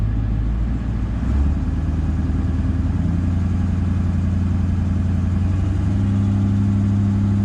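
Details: Toyota LandCruiser 200 series diesel after water pump replacement: steady even running; a low fan roar swells in as the fan clutch engages, no knocks or squeals.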